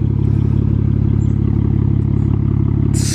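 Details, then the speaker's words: BMW 135i twin-turbo at cold idle: quick, even metallic chatter about four times a second over the engine note, typical turbo wastegate flapper rattle; owner plans a single-turbo conversion. "take a look at that in 54 sounds like this car house wastegate rattle"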